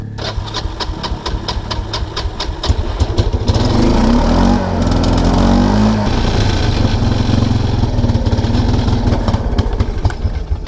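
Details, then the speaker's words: 1999 Kawasaki Prairie 300 ATV single-cylinder surges then bogs under load near stalling; owner suspects carburetor float stuck open making it run very rich, so shuts fuel off to let float bowl level drop until it runs well. "the carburetor i think the float is stuck open so it's running stupidly rich"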